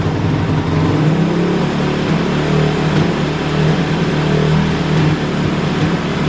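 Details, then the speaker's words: Kawasaki KLX450R with FCR carburetor warming up: single-cylinder bark climbs to a fast, hunting high idle and runs hot instantly; running very lean, fuel screw and idle to be adjusted. "so right so it's uh definitely running very lean that's why the idle kind of is jacked up"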